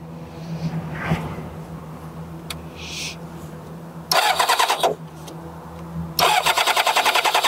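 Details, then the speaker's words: Kawasaki ZZR600 with spark plugs being checked: two bursts of fast even cranking, about three or four beats a second, never catching; cranks but won't start, no spark found on cylinders 2 and 3. "We're not. I don't think we're getting spark."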